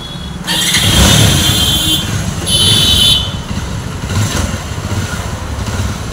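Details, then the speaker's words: Bajaj Avenger 220 with its engine rebuilt for the second time, on a test ride after all the engine work: smooth, steady engine note rising and falling evenly with throttle, no knocks or rattles under road and wind noise; bike fully complete, no problems. "तो गा ये पूरी तरह से complete है गाड़ी कोई भी दिक्कत नहीं है बिल्कुल परफेक्ट है"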